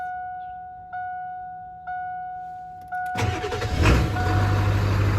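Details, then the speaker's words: 1994-97 Ford F250 OBS 7.3 Powerstroke diesel after fuel bowl delete and Crude Diesel electric fuel pump conversion; pump hums three seconds, then engine fires and settles into an even healthy clatter, regulator showing 60 psi versus 64-68 expected. "Oh yeah! Oh yeah! She sounds good."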